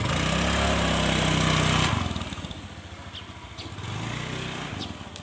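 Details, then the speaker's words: Carbureted Honda Scoopy at full throttle: the engine revs high and flat, then drops and rises again as the drive slips, and the scooter won't move off, with slow, heavy, stuttering pull. CVT belt and clutch slipping. "Gasnya tuh lambat, berebet, lelet ya, pokoknya seperti itu ya."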